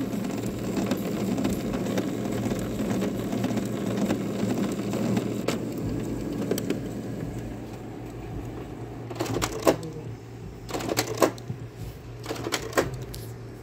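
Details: Canon G3070 printer given a print job: irregular clattering and rattling bursts as the roller keeps turning without drawing paper in, a paper feed fault; printer not taking in paper.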